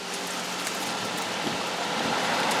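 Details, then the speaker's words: 2009 Toyota Camry heater blower fan after removing debris (nut or similar) from the fan cage: steady, even rush of air at half and high fan speed with no rattle, ticking or scraping; blower now runs clean. "we're going to get the fan on and it's blowing look we're at the half and no noise"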